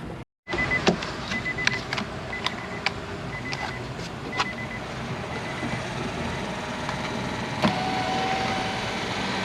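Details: Nissan Versa front door after window regulator replacement, before door panel refit: steady motor hum as the glass travels, only light clicks, no grinding or binding; power window works normally.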